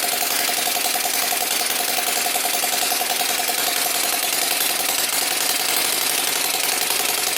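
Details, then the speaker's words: Small Whippet flathead model engine on a test stand, water pump circulating through the pipes: fast, light popping exhaust beat with faint pump whirr; runs evenly and healthy. "You can hear the water pump going on there. You actually see it going through the pipes."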